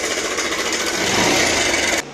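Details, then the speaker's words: Bajaj Pulsar 150cc motorcycle running: fast, loud metallic clatter, sounds like something broke inside the engine; mechanic attributes it to a faulty timing chain adjuster (tensioner); timing chain rattle. "कि ऐसा लग रहा है कि engine खुल के अभी बाहर आ जाएगा और"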